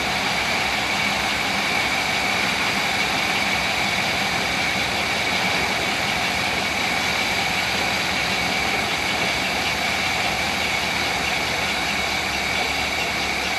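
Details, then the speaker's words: 1964 Rambler Ambassador 990 Cross Country Wagon after water pump replacement: smooth, slow, even idle with steady hiss and no whine, rattle or bearing growl from the engine front; much quieter than the noisy old water pump, normal. "that water pump was making a lot of noise you how much quieter that is now"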